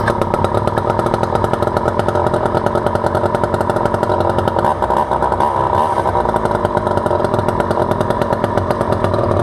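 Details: Vintage Poulan 2000 all-metal chainsaw, sat for years and case filled with water for weeks; two-stroke started on choke, steady buzzy note at even speed without stumbling or surging, running healthy.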